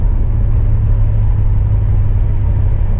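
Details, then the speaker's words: BMW E92 M3 S65 V8 accelerating after replacing the exhaust manifolds (headers) that had caused permanent limp mode since a track day, car sat nine months: deep even powerful roar held steady under load, no ticking or leak; healthy after repair. "Oh, the noise. I've been driving a car with just over 200 horsepower, and I got used to it."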